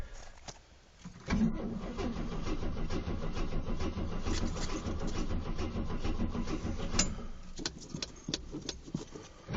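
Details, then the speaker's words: 1974 AMC Gremlin, 258 inline-six, cold start after about 3 months sitting, pumped, choke thought to be working: brief crank, catches, settles into slightly lumpy cold idle with light ticking attributed to old engine age; healthy start. "You can hear a little bit of a ticking. And that's just because, well, it's an old engine."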